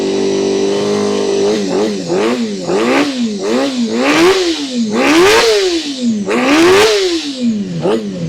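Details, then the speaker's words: Honda CBR250RR MC22 under restoration, carbs just refitted, running after sitting; revs rise and sag irregularly about once a second under blips, rough. Owner suspects old fuel and a slightly stuck ring; unconfirmed. "I think I just made it a bit of a old fuel caught up. Ring's a bit stuck."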